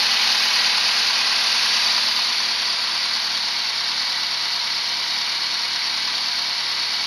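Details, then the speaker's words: Renault 11 TXE after the timing belt was correctly replaced, with an exhaust leak still present: steady, even idle with no knocks, misses or surging. It holds idle better than before, though it sounds no different. "Parce que moi niveau bruit, j'entends pas la différence mais elle tourne mieux quand même. Elle tient mieux le ralenti."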